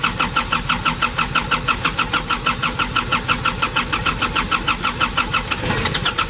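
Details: Nissan Urvan ZD30 diesel no-start, after cleaning clogged parts and reassembling: even starter chugging about three times a second, then the engine catches near the end and runs; now starts normally.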